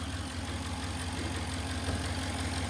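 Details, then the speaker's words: 2011-2020 Dodge Ram 5.7L V8 at idle after water pump replacement: smooth, even idle with no pulley rattle or water pump whir as before; normal idle. "Well, I will say it is a lot quieter than it was. That pulley was really rattling, and you could really hear the water pump when it was running."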